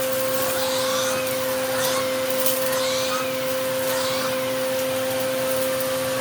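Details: Eureka The Boss Capture bagless vacuum after repacking two brushroll bearings and replacing the broken belt, testing the power paw brush: steady high motor whine, light brush swish and pickup rattle; runs smoothly, healthy.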